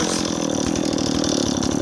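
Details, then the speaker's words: Stihl 026 chainsaw idling fast with a burbling, uneven, wet-sounding two-stroke beat, loading up on fuel after idling a minute before the trigger is pulled; saw bogs in wood. "neighbors as our saw loads up you hear that that's the saw loading up on fuel you first pull the trigger after you've let it idle for a minute"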